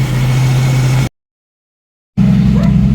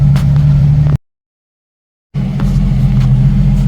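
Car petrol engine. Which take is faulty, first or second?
first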